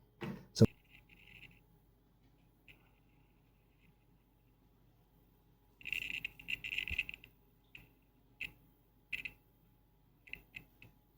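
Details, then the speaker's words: Microwave plugged in on standby, otherwise working fine: irregular Geiger-counter-like crackling bursts from its small beeper speaker. "That was the only issue was when it was in standby, you were hearing those geer counter clicks."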